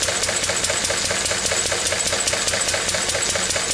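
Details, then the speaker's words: Lister D single-cylinder stationary engine, about May 1951, after the mixture was adjusted to stop missing: even steady chuffing about two and a half a second, no misses, running cleanly. "so it's done pretty well it gling it's missing there we are get that for to adjust it to get the mixture right now it is"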